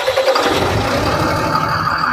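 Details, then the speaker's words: Tata vehicle after number six rocker installed and tappets adjusted, started in neutral; engine catches quickly and settles into even steady beat, no knocking or rattle, earlier stalling fixed, normal start. "दोस्तों, हमारी car start हो गई है, और car में पहले जो समस्या आ रही थी, जैसे कि इंजन का बंद होना, वह अब पूरी तरह से ठीक हो गई है।"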